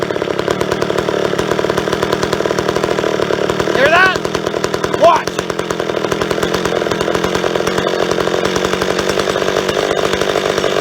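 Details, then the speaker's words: Old chainsaw, previously idling with no air leak, running lean with the low-speed jet screwed fully in: high, thin, hard-edged two-stroke scream with a brief pitch jump, drying itself out. "so we're lean I can tell cuz I leaned it right out it was on island it just dried itself out"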